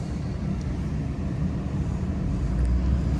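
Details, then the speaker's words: Auction car with 109,000 miles, full coolant, no milky oil and no dash lights: low steady V8 idle rumble, even with no misses or ticks; idling well. "Looks like it's idling pretty good. Go ahead and get a little bit of gas here."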